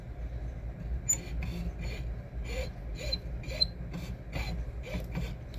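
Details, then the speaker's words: 3D printer: high chirping squeaks about twice a second with a scraping rub from the Z-axis stepper, with metal shavings on the extruder and thick print lines. Owner suspects missing lube or a loose mounting. Cause unconfirmed. "Can you hear it squeaking? Also, you can kind of see the metal shavings on top of the extruder."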